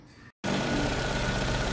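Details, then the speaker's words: Chevrolet/GM engine (Onix, Spin, Celta, Montana, Cobalt line) idling normally after the timing belt tensioner was re-tightened in the correct anticlockwise position; the belt noise is gone and only normal, even engine running remains. "pessoal barulho Zerado deixei na mesma posição tem um barulhinho lá do motor funcionando normal mas ó Correia Zerou"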